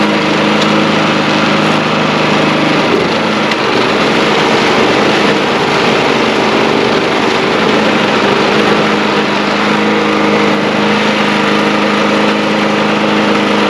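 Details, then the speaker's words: Snow blower small single-cylinder gas engine after replacing the clogged carburetor, test run outdoors: steady, even buzzing run with no stumbles or surging; running cleanly and healthy. "I stopped it because I didn't want it to get too far running inside, but that gave me confidence to go ahead and put on this bracket here, and then now I will come out here and I will fire it up and make sure it runs well here."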